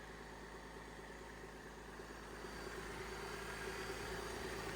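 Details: Flood-damaged 2007 Cadillac CTS V6, about 50,000 miles, first start, AC and power steering belt bypassed due to seized AC compressor: soft even idle pulsing about three times a second, no knocks or stumbles; running pretty well.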